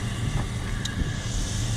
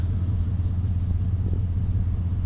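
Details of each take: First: 2002 Chevy Silverado work truck with over 300,000 miles, warming toward 180 degrees before a plug, wire and fuel filter tune-up: steady, even low idle rumble with no knocks or misses, normal idle. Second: 2002 Chevy Silverado 1500, warm, before budget tune-up (fuel filter, plugs, wires), owner reported no power from a stop: deep, slow, even rumble sitting lower than it should; low idle speed, cause suspected, not confirmed.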